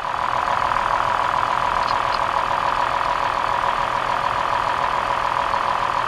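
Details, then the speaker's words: 2003 Toyota Highlander V6 after replacing a bad front ignition coil: idle smooths out, earlier trembling and blinking-check-engine misfire gone, steady even idle. "pocket oh look at that notice how the engine smoothed right out that little bit of that little bit of trembling that we saw is now gone okay the misfire is fixed this car is repaired"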